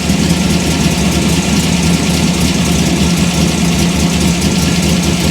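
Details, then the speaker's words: Chevy Gasser V8, warmish after about half an hour home, distributor locked out with the timing curve removed, initial timing raised to 32°: smooth, quick, even idle sitting well above a normal warm idle; fast idle from advanced ignition timing. "So, it's running fast. I put a bunch more timing in it."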